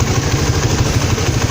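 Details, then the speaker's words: Suzuki Satria FU fuel-injected motorcycle, almost 6 years old with 75,000 km, after DIY routine service: quick, even putter at idle with no misses or ticking; still smooth, normal idle. "Masih cukup halus kan suaranya untuk ukuran motor dengan usia ya hampir 6 tahun, udah kilometer 75.000, tapi ya lumayan lah kayak gini."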